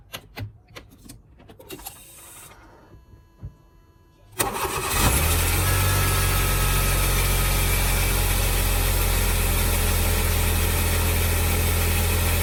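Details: 2003 Smart Fortwo after new spark plugs and HT leads fixed cylinder 3 misfire (P0303): cranks, catches and settles into an even, steady three-cylinder idle with no stumble.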